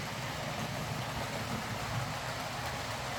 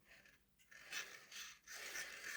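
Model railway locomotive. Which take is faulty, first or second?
second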